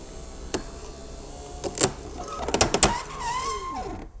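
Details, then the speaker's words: Rover 75 V6 power window regulator being tested: a few clicks, then motor whine sags and drops off straining near the top; this side only binds, other side fine, owner plans to clean tracks and lubricate. "is just fine this side doesn't seem to be making a fuss it's just this one here so if I can ascertain why that is I can fix it"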